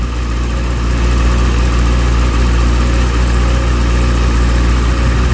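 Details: Motorcycle idling after replacement of a failed, melted cheap rectifier behind a burnt connector; charging fine, unit only slightly warm. Deep, steady idle at about four beats a second, holding rhythm with no misses or knocks; healthy.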